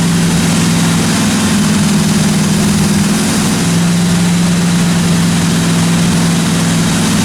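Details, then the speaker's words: 1957 Chevy 210 project car, carbureted engine during roughly 20-minute cam break-in run: smooth, constant low drone with a small dip in speed midway, no ticking or clatter from the valve train; normal running, engine sounds good. "I actually got the thing broken finally uh sounded good I ran it for about 20 minutes got the cam broken everything sounded good in the the valve train"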